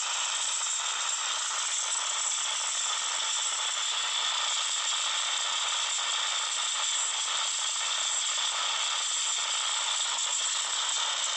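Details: Samsung Note 9 speaker: steady, hissy, high-pitched crackle and rattle with no low end; random weird speaker noise that only a phone reboot stops, cause unknown.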